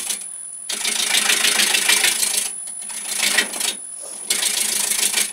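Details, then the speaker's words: Woodturning a square wood blank between centres with a gouge: harsh, choppy scraping in bursts with a knocking clunk as the tool catches the square corners, an interrupted cut about three millimetres from round. "now as you get round more round you'll hear it goes from a clunk clunk clunk sound"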